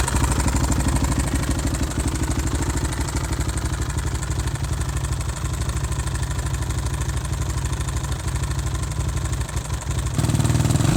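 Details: Older carbureted Suzuki RM-Z450 single-cylinder, not rejetted after moving from higher elevation: steady loose knock on each firing stroke at idle with a couple of throttle blips; seller called it normal for this year's Suzuki, owner suspects rod knock.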